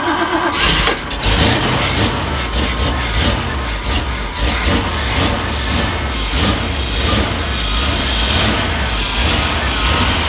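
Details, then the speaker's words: 1978 Jeep after fitting a new electric fuel pump and filter feeding the carburetor, pump primed: cranks briefly, catches and settles into a steady, even run without stumbling; starts and runs normally. "I've already primed it a couple of times to make sure that the pump turns on, so we'll go ahead and try to fire it up"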